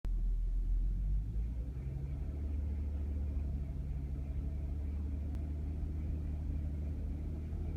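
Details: Audi A3 8P 2005 3.2 V6 at idle: a deep, uneven rumble with an irregular stumble about four times a second, consistent with a cylinder misfiring; the engine misfire was fixed by VAG car coding.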